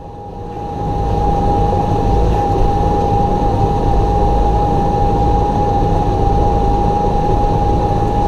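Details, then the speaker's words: Massey Ferguson 5712 tractor cab air-conditioning fan on low setting, haying in field, PTO in 540E at 1600 rpm: constant heavy roar with steady high whine; blower extremely loud even on low, louder on higher settings. "And the constant roar you can hear is the air conditioner fan, and it's on low. It's extremely loud if you turn it any higher than low."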